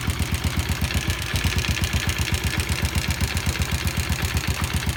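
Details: Yamaha Jupiter Z idling with sharp, loud even knocking about four per second; worn connecting rod (stang piston) with play, fixed by replacing the rod and fitting original crankshaft bearings.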